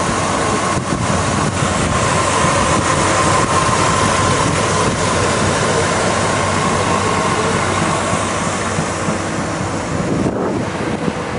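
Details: Traded-in 1983 Chevy K10 4x4 pickup, said to run and drive great, holds a steady, even idle with no knocks, misses or odd noises and no smoke; engine sounds healthy.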